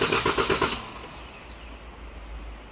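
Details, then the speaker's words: 2014 Dodge Durango 3.6L with P0304 misfire, clear-flood cranking checked with a current probe: short lumpy, uneven cranking beat; relative compression dips on one cylinder, showing a compression problem probably on cylinder 4. "how it keeps coming down we have a compression problem on probably cylinder 4"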